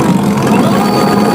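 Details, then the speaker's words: Electric bike hub motor run under throttle while each battery is checked with a multimeter: steady, even hum with a faint whine, no knocks. Normal running; the first battery holds 12.7 V, dropping only to 12.5 V. "ee motor listrik ini bekerja dengan normal."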